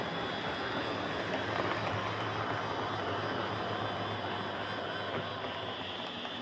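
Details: Hornby Dublo R1 0-6-0 model locomotive, about 60 years old and heavily run, with brushes worn right down; loud, rough whirring and rattling throughout the run with no clean hum, from worn brushes and wheels despite efforts to quieten it.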